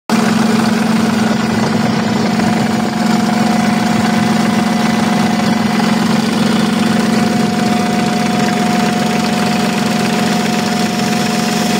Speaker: Evet arkadaşlar görebiliyorsanız egzantriğin mylusu aşınmış.